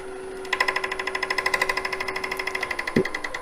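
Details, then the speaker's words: Wood lathe, cutting with a spindle gouge: fast, even rattling chatter of about eighty to ninety a minute over a steady hum, because the tool rest was not tightened and moved. "hear that noise? That's because the tool rest moved on me. I didn't have it tight enough."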